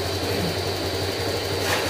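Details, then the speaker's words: Honda Click 125 scooter after engine overhaul for a connecting-rod knock (crankshaft rebuilt, new bearing): small engine idles with a smooth, even low hum and faint steady whir, no knocking or rattle; healthy idle after repair. "Tulad nito, ibinigay ko, ang ganda ng tunog ko."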